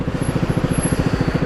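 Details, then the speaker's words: Carburetted Japanese-import small single-cylinder motorcycle with aftermarket exhaust idling with sharp low chuffs; exhaust very slightly blowing at header joint, with slight popping at full throttle; broken studs involved. "So it's going okay, but it is blowing. You can hear it's very slightly blowing."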